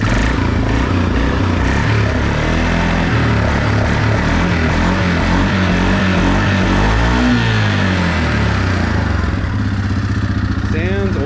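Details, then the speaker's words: 2016 Suzuki KingQuad 500 4x4 after replacing a faulty starter motor (it had ticked when cranking): runs well at idle, then strong, even exhaust note climbs and falls smoothly on throttle blips with no knocks or misses. "So it actually runs really well in idle, as you can hear. And it's great. Let's give it a bit of revs and see what she sounds like."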